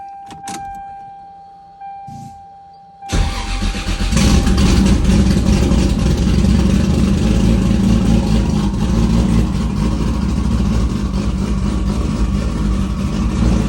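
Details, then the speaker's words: 2JZ engine after cylinder head reinstall and bent-valve repair following a timing belt tensioner failure: quick crank, catches immediately, steady even idle without ticking or knocking; normal idle, healthy engine. "She started right up. Motor sounds healthy. Super stoked to have her back up and running again."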